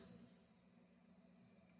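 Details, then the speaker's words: Double-door inverter refrigerator that wasn't cooling because its compressor wouldn't run; after freeing a stuck timer (no leaks, PCB fine): faint steady low hum under thin whine, no clicking or cutting out; compressor running normally. "आपको आवाज जरूर सुनाई दे रही होगी। आप देख सकते हैं कि मेरा कंप्रेसर चल रहा है।"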